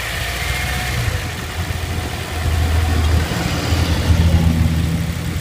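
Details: 2003 R6, previously driven hard on very low oil: at idle a low, loose knocking pulse of about four per second sits under the rumble, louder near the end. The owner is unsure if it is engine knock; cause not found.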